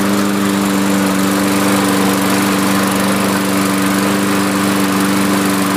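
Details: Used Lawn-Boy 6.5 all-wheel-drive self-propelled mower, scrapper drop-off: steady, even buzz at constant speed with no surging, misfire or rattle. Healthy normal running; oil change, blade sharpening and new air filter planned.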